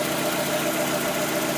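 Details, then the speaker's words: 1992 Mazda Miata after water thermistor replacement for code 9 rough idle: even, steady idle with no dips, hunting or stumbles, RPM gauge not moving; running smoothly after repair. "but right now like I keep it steady the gauge isn't even moving at all and the motor just sounds really stable"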